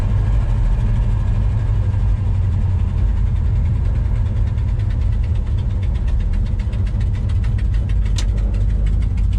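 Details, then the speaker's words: Modified 1964 Dodge Polara V8 at low idle: choppy, uneven loping beat that sounds almost about to stall, but that is just how its performance cam is set; normal. "That low idle is what I was talking about, where it sounds like it's almost about to stall out, but sure enough, that's just how that cam is set."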